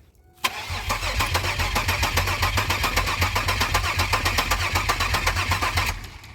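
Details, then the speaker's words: 2002 Pontiac Grand Prix GTP, first start attempt after sitting, gauge reads full tank: about five seconds of even starter cranking, no fuel pump heard, never fires; suspected fuel delivery issue; cranks but no start. "yep do you hear the fuel pump I'm not hearing anything try it again could be out of gas"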